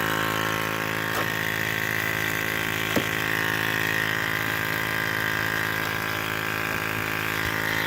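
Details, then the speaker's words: Ford 6.0 Powerstroke diesel at idle: a constant high, buzzy hum sits unchanged over the idle, present since day one and showing no codes; some unit in the engine bay is vibrating, source unidentified. "There's a terrible buzz sound coming from inside the engine compartment. Sounds like it's right under there."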